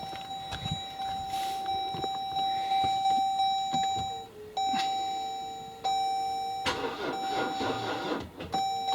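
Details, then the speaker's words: 2013 Jeep Grand Cherokee 3.0 V6 after electric power steering pump replacement, start attempt on jacks: repeated mid-pitch warning chimes cutting in and out, no cranking; flat battery from sitting too long, needs charging. "just what i need flat battery great i've got a flat battery let's be set here too long and i'm gonna have to charge it up"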